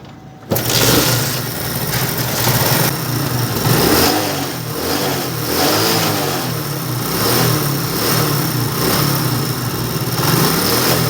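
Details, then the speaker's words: Small single-cylinder bike that wouldn't rev or pull load, after replacing the camshaft, setting timing and adjusting valve tappets: starts and revs freely up and down, smooth with no tapping or clatter; fixed. "तो आप देख सकते हैं इसका जो sound है वो बिल्कुल सही हो गया है"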